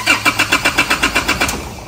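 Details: Engine cranks but won't start: the starter turns in steady even pulses, about four a second, and it never catches. Scanner shows no codes; fuel is not flowing from the pump, so fuel starvation.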